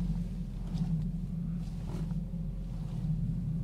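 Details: 2012 Ford Focus at city speed on a smooth, recently paved parking lot: a steady low hum/whir drones under the car, most noticeable when slowing and slightly worse when turning, and it persists with a second set of tires; source unclear.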